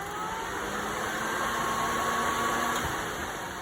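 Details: 1973 Firebird after reconnecting the fan's fallen-off hot-side wire: an even, steady whooshing rush over a quiet idle, constant without rattle or speed hunting; the radiator cooling fan now runs properly.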